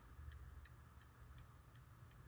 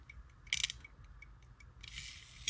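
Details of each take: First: Circa 1820 verge fusee quarter-repeater pocket watch, second, longer replacement balance spring fitted: crisp, even ticks about three per second over a faint low hum; running slow, spring to be shortened iteratively. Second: Circa-1820 verge fusee quarter-repeater pocket watch after repeater adjustment, having earlier sounded horrible with gongs possibly touching the case: clear bright chimes about half a second apart ringing cleanly; normal repeater chime.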